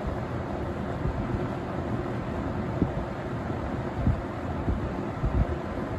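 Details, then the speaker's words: 1970–71 Windsor (Lakewood P-21) vintage box fan on low speed, blade slightly out of balance; soft, even low whoosh moving high air volume, no rubbing or ticking, industrial sound; normal running. "so it moves a really high volume of a high volume of air it has a very industrial look and sound to it"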